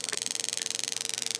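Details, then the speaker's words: Mavit pulsed-EMF prostate massage device just switched on: rapid, even ticking of about fifteen per second is the normal massage function and its frequency, while the pulsed EMF ramps down and up. "so I just let you listen to that for a while you'll hear the ticks and that ticking is basically the massage function and the frequency of the massage"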